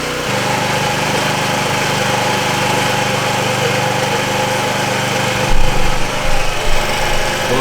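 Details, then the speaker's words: 50cc Chinese scooter after replacing the starter solenoid: small engine buzzes evenly then stumbles with uneven bursts, skipping from poor fuel delivery at the carburetor; fuel line still needs replacing. "i had a problem with the charge uh with the quad carburetor and it's not getting good fuel delivery"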